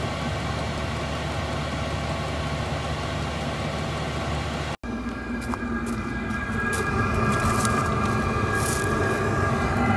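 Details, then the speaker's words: £85 all-in-one Chinese diesel heater in a van on 12 V at full output: steady roaring whoosh with a low rumble, no rattling, knocking or misfire; its noisiest point, yet not very loud, working normally. "you can hear it so this is its noisiest point and i'll be honest i ain't that noisy"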